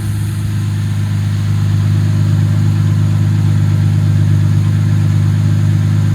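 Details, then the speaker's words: Jaguar MKII after full reassembly, running again with no miles: strong steady low drone, even firing, no misses or mechanical noise; owner thinks it smells a little rich and may lean the mixture; normal running. "I think that sounds pretty good might be a little rich I might have to uh take the mixture back a bit cuz that does smell a little rich but that tone is pretty [ __ ] good isn't it"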